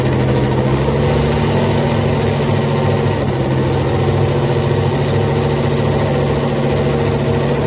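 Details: Freaky Tiki Hemi Cuda funny car, first fire-up after a 3-year build, not yet on nitro, after an earlier ignition problem with the mags: deep, loud, steady lumpy idle with no stumbles; sounded great.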